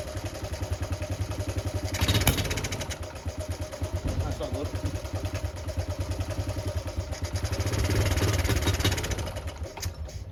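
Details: Honda Cub C70 after cleaning stator windings, fixing grounded points wire and resetting points: small single-cylinder thumping with steady pulse, revs rising and easing cleanly without misses; runs normally now.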